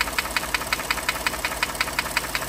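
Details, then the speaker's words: 2014 Ford F-150 3.5L first-gen EcoBoost, stethoscope on cylinder one: sharp, regular metallic knock about six times a second over idle, that side loud while the other sounds normal; relative compression and power balance good; piston slap from a broken skirt. "loud on cylinder one right here I use this stethoscope and I could definitely pinpoint cylinder one this side sounds perfectly normal this side's definitely not though"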